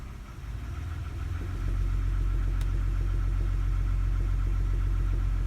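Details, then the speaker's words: 2009 Toyota Highlander 3.5 V6, 212,000 miles, in drive foot on brake, revving 800 to just over 1,000 rpm: faint regular knock over drone, may fade higher; front three plugs changed, owner hopes plugs or exhaust leak. Finding: light knock under load. "you hear that slight knocking as i rev up and if i put it in gear my foot on the brake and just give it a little bit of"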